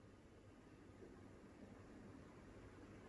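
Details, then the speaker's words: Westinghouse Bendan ceiling fan, installed late 2014, over six years old, on highest remote setting: faint smooth even whoosh, no ticking or wobble knock; slight wobble visible but acceptable, spinning true and quiet, normal. "we can see that there is like it's a slight bubble but it's not it's not that bad i mean for me this is absolutely fine"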